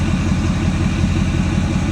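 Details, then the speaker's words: 2024 Ford F-450 6.7L Power Stroke diesel at idle with a properly installed FASS 140GPH Titanium Signature Series fuel lift pump; even idle with a steady low thrum and no pump whine. The pump is barely audible, normal. "You can barely hear it now. Quiet."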